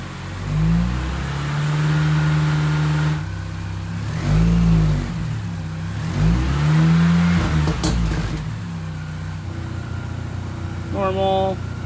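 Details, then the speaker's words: 2005 Mini Cooper S after alternator replacement, started for charging test; smooth even revving climbing and settling cleanly, no knocks, rattles or misses, charging at about 14 V, engine healthy. "All right, let's do this. Sounds good up front. That's charging."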